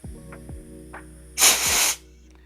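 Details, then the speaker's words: Gas blowback airsoft magazine after filling: a sharp half-second hiss between light clicks as gas leaks from the fill valve in the base. Possible causes are a dry O-ring or the valve loosened by vibration. "we have a fill valve leak in the bottom as it's coming out you can hear that too"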